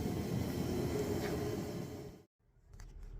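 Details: New Bauer propane heater from Harbor Freight, fed from a 20 lb tank in a garage with about 14°F outside: steady, even burner roar with a smooth fan whoosh, no popping or surging; the heater is running normally.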